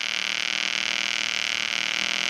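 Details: EWM Tetrix XQ 230 Puls AC/DC Expert 3.0 TIG welder, pulsed: steady, even arc hiss with fine regular pulsing flutter; machine lowers amperage once the workpiece is hot. Pulsed TIG arc burning cleanly.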